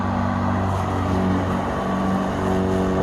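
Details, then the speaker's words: Kobalt 80V MAX brushless rear-wheel-drive mower with mulching kit, cutting thick grass: steady motor hum rises slightly in pitch as it pushes into thick grass, slowing back down in thinner grass; normal load-sensing speed increase. "there's a little thicker grass on this section here and then it will once it gets into thinner stuff it'll slow down"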